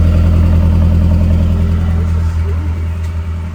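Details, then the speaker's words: Truck with freshly swapped engine, after plugging in a disconnected injector that caused a slight misfire: strong even idle with steady deep beat, no stumbling or skipping; normal idle. "There we go. That's way better. Oh, that actually that runs really good."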